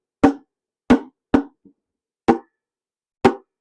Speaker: and this this springy sound really gets me this is now I get these cuz they're rubberized have a listen listen to it I'll just do it in the microphone it's got these bong bong